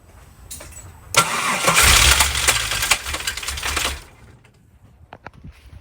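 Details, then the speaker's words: Supercharged L67 engine at startup: sharp fast clattering and scraping, three or four knocks a second, fading as it settles; owner suspects the snout was bent while hammering, letting the rotors touch every rotation, running on four of five pulley bolts, possibly unbalanced. "I may or may not have bent something in the snare which is now causing the rotors in the charger to uh grab and touch on every rotation um it's kind of what it sounds like to me"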